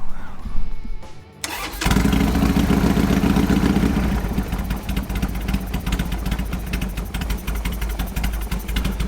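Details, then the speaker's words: Harley Sportster after timing adjustment and spark plug problem, freshly started and not yet warm; quick crank, then a slow loping, slightly stumbly idle, needs about 950–1000 rpm; idle speed too low. "sounds good needs to warm up and I think the idle needs to be a little higher I was aiming for like 800 or so it's too low"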